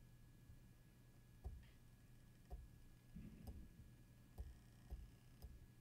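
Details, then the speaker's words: Seagate Exos enterprise data-center hard drive at idle, with noise boosted in post: a quiet low steady hum with soft irregular clicks about every second. Normal; it stays ready to switch to active, so it makes more noise even at idle. "as you can see even in idle this drive will make more noise it has to be ready to switch to active and idle"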